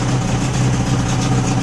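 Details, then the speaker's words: Old two-stroke outboard after fuel filter repair, full throttle with choke off, steady even idle buzz with no misfire, rattle or hunting; sounds sweet, but little or no cooling water coming out, to be checked. "um that's eight small water in it yeah let's let's figure that out out before we go any further sounds sweet"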